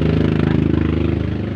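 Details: Mitsubishi L300 diesel van after a sudden stall and total electrical blackout, fixed at the main fuse to the ignition with the loose battery terminal tightened, idling in neutral: steady even clatter, no misses; running normally.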